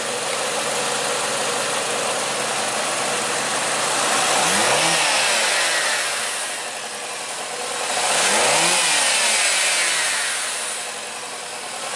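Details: 2013 Nissan Sentra 2.0 with prior overheating problem, after repair: two clean rev blips climb smoothly and fall back to an even idle, no knock or rattle; engine sounds healthy.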